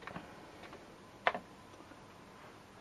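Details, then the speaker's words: Worn secondhand Commodore 1541 floppy drive loading a C64 game: sparse, sharp, irregular clicks and taps of the head knocking in a quiet room; drive sounds unhealthy but still reads. "you can hopefully hear what a 1541 sounds like when it's um not too healthy"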